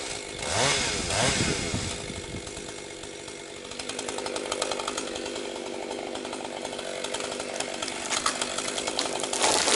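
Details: Rebuilt Husqvarna 262XP two-stroke chainsaw breaking in, compression up, cutting low-grade pine firewood at full throttle: strong steady high scream without bogging; running strong, picking up power, normal.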